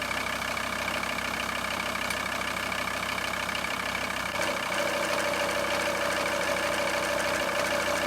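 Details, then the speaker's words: VW T4 van idling: light regular clicking knock about three per second over the engine note from the failing power steering pump, coming and going, with the serpentine belt vibrating badly; before pump replacement. "So that's the sound it's been making, and it comes and goes, but you can also visually see on the belt where it was vibrating quite badly."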